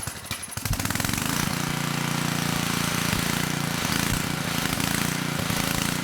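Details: 10hp Tecumseh HM100 on a 6000 W Western Hemisphere G60MG1000TW generator, with a replacement Oregon 50-656 carburetor; started on choke, surged at first, choke off after about 30 s. Steady even single-cylinder beat, no surging. Normal running.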